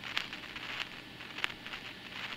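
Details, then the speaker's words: Apartment intercom handset after replacing the decades-old left door unit found to be the noise source (terminals cleaned earlier): soft hiss with irregular crackles, now only intermittent; outside motorcycles still audible; residual noise remains. "那现在这个是听起来是间歇性的出现的哦。对啊，我还是可以听到外面摩托车的声音啊。"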